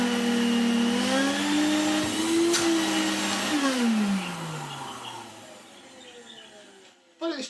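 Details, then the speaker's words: 1990s Electrolux Tango Z1661 cylinder vacuum motor after disassembly, cleaning and oiling the sealed bearings; steady motor whine with faint dry scraping as pitch slides down on wind-down, bearing noise persists, suspected worn sealed bearings. "still has a little bit of that noise. I think the oil has penetrated those sealed bearings as much as it can."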